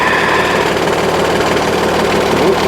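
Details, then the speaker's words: Trailer hydraulic lift after a wedged stone ripped part of the lift mechanism out: harsh, uneven grinding with rapid knocking through the lift stroke, something caught and being crushed; lift binding, likely to need cutting off and redoing. "something not right. You can hear that. Yeah, I think I'm going to end up having to cut these things off and redoing."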